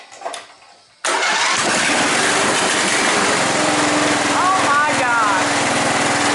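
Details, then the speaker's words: John Deere Sabre lawn mower started on choke after a new spark plug and restoring fuel flow to the carb: cranks and catches at once, then settles into a steady, even run with no misses or knocks; normal running. "Started right up."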